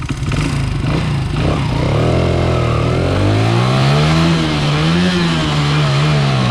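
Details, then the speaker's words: 1995 Honda XR80R 80cc single after fitting the correct main jet in place of an undersized 95: full throttle in first gear, note climbs cleanly and steadily with no hesitation or flat spot; bog fixed, normal acceleration. "That's running just the way it's supposed to. Running exactly like the other bike. Lots of power, gets the throttle going, you know, right from beginning to end. No hesitation."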